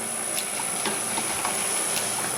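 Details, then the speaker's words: Homemade materials-processing machine (can crusher/copper cutter) on first power-up: sharp relay clicks, about six in under three seconds at uneven spacing, no motor running; fails to start, burnt relay coil or wiring suspected. "it's clicking the relay is clicking why isn't that working"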